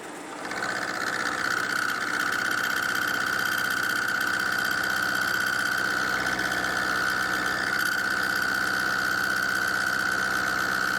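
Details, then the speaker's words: Milling machine climb milling the tang of a tailstock die holder after adding an angle plate behind the vise-held workpiece to cure chatter from lack of rigidity; steady high cutting whine, even beat, no harsh chatter. Smooth cut. "Well, it's definitely better. I've got to be careful because I'm climb milling here as well."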